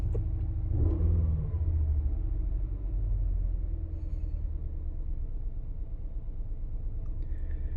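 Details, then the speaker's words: 2016 Ford Explorer 3.5L EcoBoost V6 after spark plug change: uneven stumbling idle, misfire from ignition coil number 2 left unplugged; fixed by plugging it in. "It almost sounds like a mist going on. I hear a dum."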